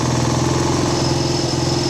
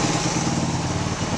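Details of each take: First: 1979 Honda XL125S single-cylinder after a valve lash adjustment, idle checked with a tach (book says about 1,400 rpm): a steady, slightly fast idle. It is too high and is wanted at about 1,200. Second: 1979 Honda XL125S after valve lash adjustment, with the intake valve found too tight and the idle speed adjusted: steady, even single-cylinder idle with a smooth low thump and no ticking or misses; runs less rich than before.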